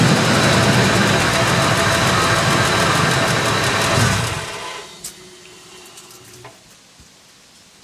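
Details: 2001 Ford F-150 5.4 V8 with a steady tick about four times a second at startup and when accelerating, starting about two months ago; the engine then shuts down to near silence.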